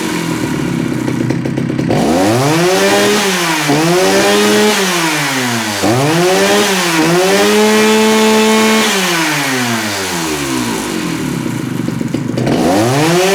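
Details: Jonsereds 70E two-stroke chainsaw tested to see if it runs: it catches, then revs climb and fall in repeated blips and hold briefly high; the engine picks up and runs without stumbling.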